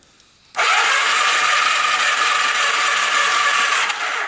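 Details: Free, very rough 1991 Kawasaki Vulcan 1200 motorcycle the seller said would never run: steady fast starter whirr cranking about three seconds with no firing or catch after safety switches were bypassed; cranks but won't start, crusty connectors later found.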